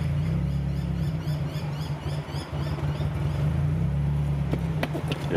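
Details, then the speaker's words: Nissan Gazelle S12 engine at idle: low idle swelling and sagging unevenly a few times a second with deeper dips instead of holding steady; hunting idle, cause not confirmed. "now the idling you can hear it going up and down listen for a second"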